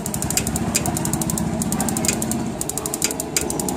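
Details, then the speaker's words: Gas geyser with new cells, not working per customer, water flow sensor bypassed directly: fast even igniter ticking sparks over steady water hiss, cells supplying the circuit, ignition working. "आवाज़ आ रही है आपको, यानी कि cell supply circuit में दे रहा है, डायरेक्ट ये एक्टिव हो गया।"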